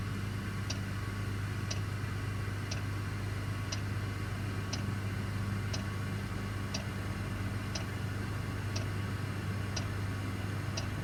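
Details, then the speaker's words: Parked heavy-haul truck, engine off, Webasto diesel bunk heater running: sharp light click about once a second over a low steady hum, normal heater operation. "by the way if you hear that clicking sound don't be alarmed that's my uh bunk heater Webasto cuz I don't want to run the engine and so I'm running my heater"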